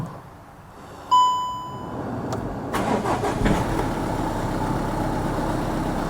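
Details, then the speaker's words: VW Golf Mk7 1.6 diesel just after oil and filter change: short crank, then clean catch into steady, even idle with a couple of gentle revs to fill the filter, no knocks or rattles; normal start. "engine is left to idle briefly, with a couple of gentle revs to allow the oil filter to fill properly."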